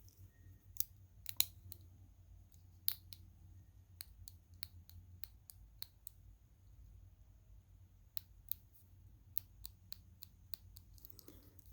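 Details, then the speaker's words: Sinn 105 St Sa UTC watch: sharp, irregular metallic clicks when pressing one side of the bezel (other areas silent); the bracelet clasp makes a similar clicking noise when worked. "just pushing on the bezel here these areas don't make the noise but if i push on this side you can hear clicking also the clasp makes a similar noise as well"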